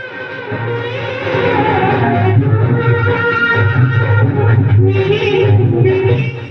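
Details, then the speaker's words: 250 W amplifier, before repair: music plays harsh, crackly and broken-up instead of clean; driver supply to be checked with multimeter; distorted sound output. "देख सकते हैं यह आवाज फट रही है इसमें क्लीन आवाज नहीं आ रही है समस्या जो है दोस्तों इसमें साउंड क्लीन नहीं हो रही है"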